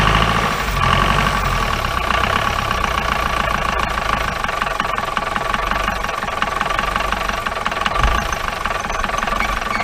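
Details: 1953 Mercedes 170D (W136) four-cylinder diesel, once-seized restoration project, at idle after first start: loud, uneven, lumpy clatter and heavy smoke, believed raw fuel; owner suspects worn injector nozzles and holders, with valves already adjusted.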